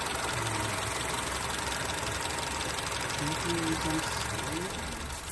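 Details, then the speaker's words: 2007 Honda Civic at idle after replacing the ignition coils for misfire codes P0300–P0304 and P0352: a steady, even idle with no stumble or shake, engine and tailpipe no longer shaking; normal idle. "let's start the engine I immediately noticed that the engine is running smoother now the engine has great acceleration notice that the engine is not shaking"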